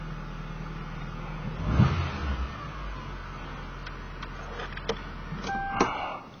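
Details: 1995 Toyota Camry DX, just after installing a new engine air intake hose: starter cranks briefly, engine catches and settles into a quiet, even idle with no knocks or squeals; normal start and idle.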